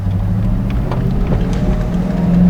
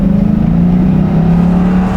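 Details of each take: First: 2001 Ford Mustang GT V8 idling with a deep, busy drone that sits faster than normal and swells twice; high idle began a few days after purchase; a hose replacement made zero difference, cause still unknown. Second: 2001 Ford Mustang GT after a high-idle fix, with the AC on: revved on the road, then shifted into neutral, the engine hum eases back down to about 1000 rpm with no hang-up. The idle returns normally, and the fault has not recurred in two days.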